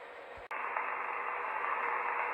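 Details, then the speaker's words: General Electric 18-channel 3-5825B AM/SSB radio after cap replacement, track and dry-joint repairs and board reflow. After a click, steady band hiss fills the speaker; receive now works, but there is still no transmit. "so we've actually got it receiving now there's still no tx i'm going to have a bit more of a fiddle"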